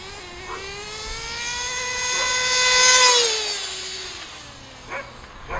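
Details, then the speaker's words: Kyosho FW05 nitro RC car from eBay, rebuilt with new fuel lines and a cleared high-speed needle blockage, bench-tuned and run on the street: thin buzz rises lazily with throttle then sags; low-speed needle seems sluggish, left running rich for a while. "I like it though good car looks like the low-speed needles a little sluggish too still but like I said I'm gonna let it run rich for a while nobody's coming"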